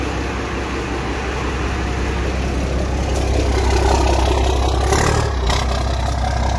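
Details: 12-valve Cummins diesel dually running again after fuel pump failure, overflow valve replaced with stock one, fuel pressure only five: steady even diesel clatter at idle, no stumbling or hunting; idling fine, no leaks.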